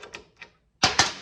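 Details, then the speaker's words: John Deere 318 electric PTO clutch with its lock nuts tightened as far as the bearing allows while spinning. Light ticks, then two sharp metallic knocks as it turns: clutch parts hitting from overtightened adjustment; the proper plate gap is 0.018 in. "Okay, so I've got all three of these lock nuts adjusted as tight as I can get them so that the bearing still spins. If I tighten them any further, it starts to, here. You can hear it hit."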